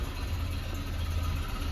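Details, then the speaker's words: Land Rover Series 3, first cold start after about six months parked, idling in the garage with the choke out: low, even idle with a steady rumble and no misses; normal cold idle on choke. "so yeah started perfectly then which is nice I won't leave it running in here for too long cuz with the choke out it really does stink"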